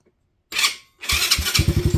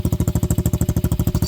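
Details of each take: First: Venom Madix 125 quad with persistent PZ20 carb problems, after cleaning and taping wiring away from exhaust: fires and settles into a steady, even idle with regular firing and no misses; runs much better, though a rattle remains. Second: Venom Madix 125 quad with a PZ20 carburetor, running much better after carb work: quick regular idle beats of about eleven a second with a light metallic chatter on each, like something loose vibrating. Owner suspects a loose fitting; cause not confirmed.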